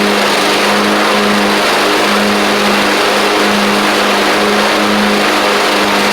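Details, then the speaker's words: Craftsman YT4000 riding mower getting an engine swap (original 24 hp Briggs ran low on oil): constant, steady mid-pitched engine drone holding even speed without surging or missing; runs pretty good, normal running. "And that's actually that's really good actually. Um, runs pretty good."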